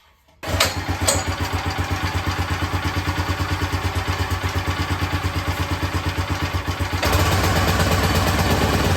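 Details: Cheap log splitter repowered with a brand-new minibike engine that has about two minutes of run time. It catches within a pull and settles into an even, steady putter of about three beats a second, stepping up slightly: a healthy idle.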